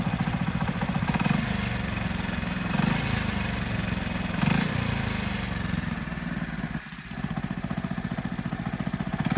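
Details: Hero Splendor Plus motorcycle at idle: steady, slightly uneven deep knocking under the exhaust beat, identified as crankshaft rather than valve-train noise; crankshaft knock.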